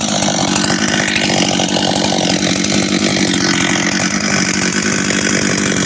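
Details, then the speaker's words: Husqvarna 385 chainsaw, first start after reassembly, first heat cycles: crisp, even two-stroke buzz at steady speed without stumbling or misfire; starts and restarts easy, throttle response and idle good — normal idle and rev. "work sounds good idles good good he all right um starts restarts easy throttle response is good idle's good"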